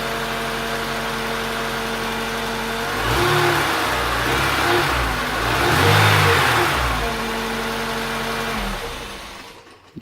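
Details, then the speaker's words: Honda Integra DC5 / Acura RSX base model with new shorter serpentine belt bypassing the AC compressor; smooth idle and clean revs with no whine, confirming the failed AC compressor bearing caused the whine; normal revving. "yeah that sounds a lot better no whining"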